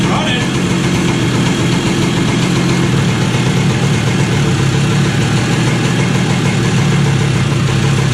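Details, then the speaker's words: 2001 Kawasaki KE100 two-stroke, Mikuni carb rebuilt with a new needle, cold start, warming up, no tachometer: steady, even burble at a low but rising idle with no knocks or misses. Normal two-stroke idle. "Sounds like I'm getting higher and higher. I want to get it warm, and then I'll dial this back a little bit."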